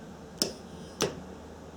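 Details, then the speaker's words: EVAP canister vent shut valve, removed from the vehicle and tested on the bench by energizing it with a battery pack: three sharp, crisp clicks; the valve actuates normally and later holds vacuum, so it is working. "And if the valve is working, we should hear a clicking noise."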